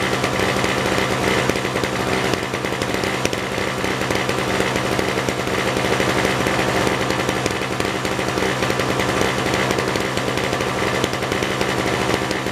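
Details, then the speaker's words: Yard-sale 1970s (possibly 1973) Nova two-stroke snowblower, choke toggled with no effect: steady but ragged, uneven buzzy running; rough running, owner suspects a stuck choke or carburetor needing adjustment. "It don't sound like it's running all that good."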